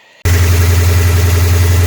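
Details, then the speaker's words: 1997 Mustang GT after installing a new Quantum 340 lph fuel pump, replacing a dying stock pump, with fuel pressure at about 41 psi: the engine catches and settles at once into a steady, deep, even V8 idle with no pump whine. "so it's only a hair over 40 about 41 so i mean that's not not bad at all our idols much smoother and you don't even hear the pump"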